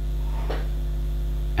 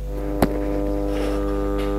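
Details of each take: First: PC speakers after the capacitor fix: the loud mains hum is gone, leaving only a minimal, low, steady residual buzz. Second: PC speakers, not connected to the computer, produce a loud steady low buzzy mains hum; an easy repair.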